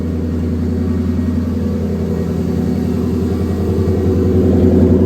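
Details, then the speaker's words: 700hp turbo Cobra V8 on E85 after an oil change and MSD 2-step install: loud, lumpy cold idle with a steady rumbling beat slowly firming up; normal cold start. "That's how an E85 cold start should be."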